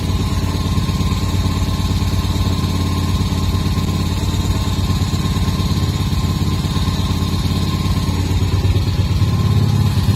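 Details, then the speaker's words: Restored Moto Morini 250 2c V-twin motorcycle, about 500 miles over 18 months: even, steady beat at fast idle, no knocking or tapping; owner says the engine is torquey and pulls cleanly, healthy. "although it's not fast even for a 250 the engine's very torky and pulls cleanly all the way through the"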